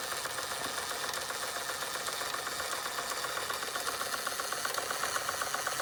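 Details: Fleischmann 135/2 toy steam engine running after repairs, burner sorted and speed steadied with regulating valve: fast even chuffing about four beats a second with light metallic clatter, likened to a jake brake; normal running.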